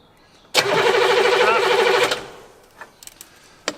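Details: 1981 Buick Century diesel with pre-combustion chambers, sat about 12 years, no ether used, fuel just reaching the filter: starter spins the engine steadily about 1.5 seconds at roughly three beats a second, then stops; it never fires, crank no start.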